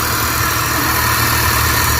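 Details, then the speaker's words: Suzuki DA64/DA63/DA17 turbo: the engine catches and holds a steady, even idle, a little high, with plenty of intake hiss because the turbo intake is left open; it runs fine. "Mataas yung menor niya kasi turbo type to naka-open hindi natin pero okay na yan."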